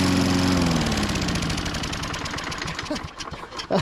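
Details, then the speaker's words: 1998 Ariens 21" self-propelled mower (engine VLV60) running on its original carb: runs steadily for a moment, then sputters with a few weak coughs and dies. It sounds like spark cutout, with spark seemingly lost despite 115–120 compression, so the new coil is suspected. "that's not me shutting it off it just di sound like spark cutout this thing just won't quit giving [Music] issues man I wonder why it's stalled"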